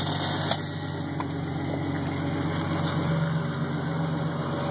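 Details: Jeep 4.0 six idling with a light, fairly quick knock or rattle, about four per second, over the engine note; cause not pinned down.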